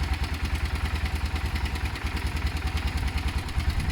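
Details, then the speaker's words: Motorcycle project idling after work: steady single-cylinder thump at about three beats a second, no misfires or rattles. Left to idle a few minutes; owner says it sounds great. "I'm going to leave it idle for a few minutes I think that's best I think it sounds great"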